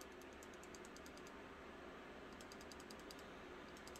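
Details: Espada XL folding knife: quiet bursts of fast, light metallic ticking clicks when held closed, none when open. The blade rattles loosely, and the owner is worried it is abnormal.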